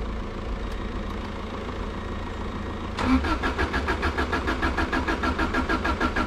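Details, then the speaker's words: Subaru Impreza that had been sitting, won't start: quiet hum then starter cranks evenly about three beats a second but engine never fires; plug wires stiff and brittle, owner suspects spark plugs, coil or ignition parts, unconfirmed. "the projects problems have already started it's not even firing up now so we're gonna have to change spark plugs i think"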